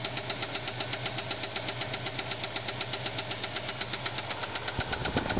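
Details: Ford Fairlane at idle: sharp even metallic ticking about four per second from the top end; no oil to heads and spun camshaft bearing flattened a cam lobe, causing a bad lifter.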